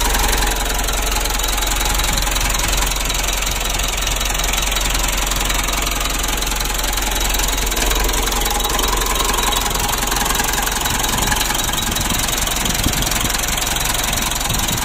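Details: Mitsubishi Strada Triton common-rail diesel, brought in for hard or no starting with dirty fuel that can reach the supply pump, starts and settles into a steady, even idle clatter with no stumbling or hunting.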